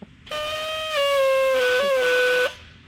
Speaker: There's no spray, it just makes a weird noise.